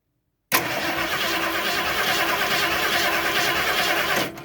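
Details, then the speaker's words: Basic ignition system test, spark tester on the coil with a Duralast ignition module: starter cranks steadily about four seconds and the engine never fires, with no coil pulsation and no spark at the tester; crank, no start. "so as you see there's no pulsation at all and it didn't spark at the tester at all"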